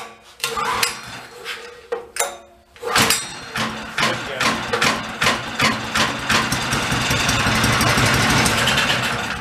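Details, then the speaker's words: Old Homelite pressure washer stored about 20 years with Marvel Mystery Oil in fuel system, choke open; sharp rope-pull bursts, then fires into quick uneven popping that smooths out and stops, probably used up the gas; mechanicals work, carburetor bowl inspection next. "good probably used up the gas all right good so we know the mechanicals are going to work"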